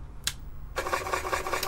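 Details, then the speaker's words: Apple II Plus Disk II floppy drive powered on with the latch open: a click, then a raspy scrape with fast ticking about five per second, from the drive base; loose spindle and misaligned belt. "We've got one of the drives from the previous video that made a horrible sound, and we'll flip it on"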